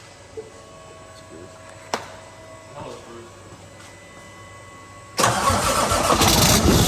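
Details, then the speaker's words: Cummins diesel semi truck not run for over six months: after a quiet few seconds it catches at once and settles into a loud, raw, steady run; normal start and idle. "Oh yeah. Hey, good job. It runs. So, Bruce, it runs. It does run, and I love the way it sounds before it goes into the Muffler."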